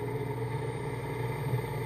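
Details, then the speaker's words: Large three-phase AC induction motor from a Mitsubishi forklift on a home-built inverter controller, first trial, drawing about 4 amps and spiking to 12 amps when ramped up; low steady hum and rumble, smooth with no knocks; normal motor run-up. "and you can see that the current spikes anytime I demand more I just hit 12 amps there but you can see that puppy is spinning and I'm pretty sure I can make it scream"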